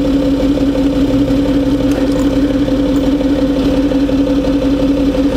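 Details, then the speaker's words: Citroën C6 with the hydropneumatic suspension raised fully and the engine running, being tried on three wheels: a steady, even mid-pitched hum with no knocks. The suspension is reacting and working normally. "I can hear this the suspension here reacting it's doing something oh hey it's not too bad it's working"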